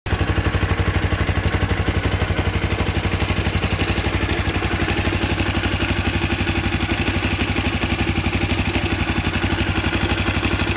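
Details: 2014 Honda CB 300R idling: even thump about four times a second with a faint chattering rattle on top; owner suspects cam chain noise.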